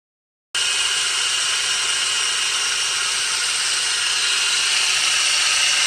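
After a brief silence, a constant shrill whir with a thin whistle runs at steady pitch; an engine pulley is making noise.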